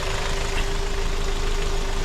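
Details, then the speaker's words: 2007 Hyundai Sonata 2.4 L four-cylinder, just over 142K miles, after engine air filter replacement and a loose 10mm nut tightened: smooth, steady idle with constant hum, no hiss or air-leak sucking; normal idle. "It is running really smooth. This is on there tight. Don't hear any leaks. No air sucking anywhere."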